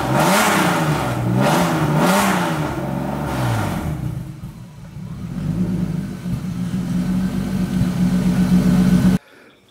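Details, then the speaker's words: BMW E36 with M52B30 swap, first start after EWS bypassed by jumpering power wires: fires first crank, revs up and down cleanly, settles into smooth, even idle with no knocks or misses; healthy. "And literally it just like fired like the first like crank."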